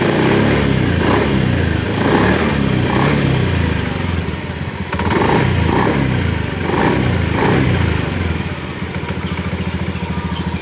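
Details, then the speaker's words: Scooter CVT side heard while revving lightly: faint loose knocking from the rollers, normal wear, otherwise smooth engine; used scooter in good original condition. "Terdengar suara ketukan samar, itu suara rol. Itu pemakaian normal, mungkin agak longgar, tapi masih sangat halus, benar-benar halus, pasti masih dalam kondisi bagus."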